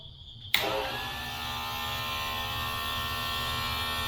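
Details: Electric chainsaw sharpener, about 30 watts, running off a Bluetti EB3A power station: motor snaps on and holds clean, steady high whine with no bogging or rattle; running normally.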